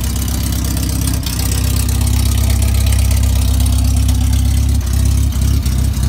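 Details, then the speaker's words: Banham Superbug kit car first start-up, battery fitted, firing order 1-3-4-2 set, loose coil noted: loud, raw deep bark about three pulses a second with no exhaust fitted; exhaust system needs checking. "Seems like an old Spitfire firing up, man. Shit. Okay. Maybe we should have a look at the exhaust system."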